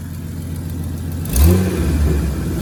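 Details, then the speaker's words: Amy's Jeep after replacing the belt tensioner pulley, which had been making horrible noises: engine blipped, smooth low drone rises cleanly with no belt screech or chirp; sounds healthy after repair. "now go fire it up and see if it screams no"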